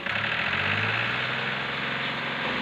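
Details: Ford tractor diesel after nozzles checked and re-set, smoke much reduced: dense rattly clatter over a steady idle that doesn't ease; the knock persists and the cause isn't yet pinned down.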